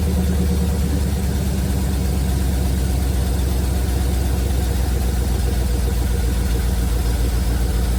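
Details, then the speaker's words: 1971 Chevrolet C40 truck V8 after carb cleaning: deep, even idle burble with steady beat, no misses; running really well, blow-by minimal. "It's running really well! The blow-by is minimal."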